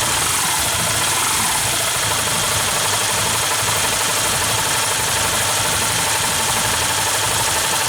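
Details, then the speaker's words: Yamaha New Vixion idling with a fast, light top-end tick over the hum; valve train ticking persists after tight valve clearance adjustment and new rocker arm parts. "Dan ternyata sama aja, udah setel rapat, tetap gelitik."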